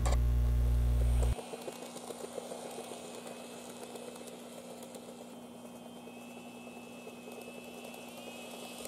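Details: N-gauge model train power car: motor hum with a soft regular knock about four a second persisting after motor replacement and worm gear cleaning; replacing all geared parts in the bogie eliminated the noise.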